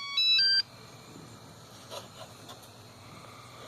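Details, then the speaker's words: Swagtron T5 hoverboard that had been blinking its red light 7 times, powered on after repair and charging, on a bench with the two halves aligned. A quick three-note startup chime sounds, which is normal, as it calibrates. "Hold it for 10 seconds. And you'll hear two beeps and the light, the red light will come on. It's calibrating."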